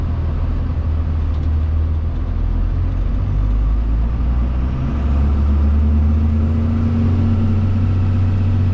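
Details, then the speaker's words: Crew cab truck test drive after front-end popping repair: steady low road and engine rumble through slow turns and driveway entry, no pops or clunks; front suspension quiet, popping appears fixed, longer warm drives still to be checked. "so nothing well that usually that would have done it for sure hitting the driveway turning like that but nothing so i think it's fixed"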